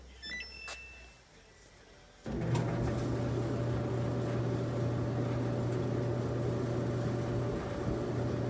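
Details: Samsung electric dryer, after repair of a no-start (clicking on start, thermal cut-off suspected): after a quiet start the drum runs with a steady, even low hum and faint constant tone, heating well; normal running.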